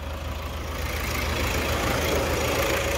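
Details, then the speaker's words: Toyota Hilux 3.0 diesel after engine rebuild: steady, even idle with a regular rhythm and no stray knocks or rattles; healthy-sounding engine, normal idle. "olha o barulho do motor bacana é em toda a volta fazer a melodia né"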